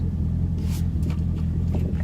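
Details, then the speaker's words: Camaro with an LS3 and manual gearbox after a crank-no-start was fixed (a mass air sensor harness rubbing the power steering pulley had shorted a fuse): it starts right up into a deep, smooth, even V8 idle with no ticks or misses. "moment of truth right okay this is gonna start and stay running starting right up"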